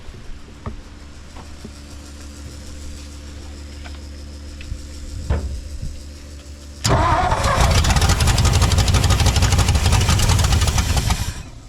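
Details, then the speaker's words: 1959 Ford F-600 straight truck, 292 Y-block, long dormant in a corn crib and stuck engine freed; slow cranking and sputters, then a loud, uneven lumpy run that stumbles and dies; big vacuum leak on the carburetor. "big old vacuum leak on the carb okay"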